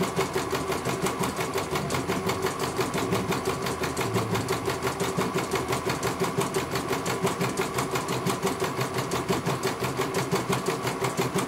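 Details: CNY computer embroidery machine serviced from Banjarnegara, Central Java, that arrived with its motor (dinamo) not turning at all and the bobbin case missing; steady, even stitching rhythm about once a second over constant motor hum, no knocks or grinding, one colour finished. Normal stitching.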